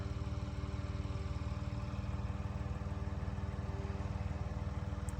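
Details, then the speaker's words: 1975 Ford Transit MK1 diesel, cold start attempt using glow plugs and preheat, with smoke showing: a steady starter churn with even compression pulses about three per second and no firing. It cranks but won't start; the owner suspects the reservoir ran out of fuel. "see the smoke it's probably going to be the longest failed coal start on YouTube I bet that Reservoir ran out of fuel to"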